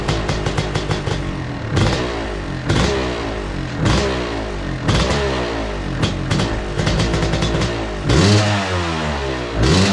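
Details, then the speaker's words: 2002 Yamaha YZ125 two-stroke, cleaned-up project bike kicked over: blips and revs unevenly, popping and stumbling, never settling; runs rough though it fires right up, owner suspects it needs a top end, possibly jetting. "She's a pig, guys. She's a big pig. So anyways, a lot of stuff still to do. Obviously it doesn't run amazing, and I have a feeling it's because it probably needs a top end, even though it fires right up."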